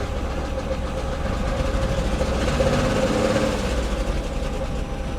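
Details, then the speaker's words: 1999 Chevy Camaro V6 first start after Delphi FG0102 fuel pump replacement, service engine soon light on: idle lumpy and uneven, beats stumble and tone surges; running rough, cause not evident. "Well, shit. It starts. Fuck yeah. So now that it starts, although it runs like shit, it's proof of concept."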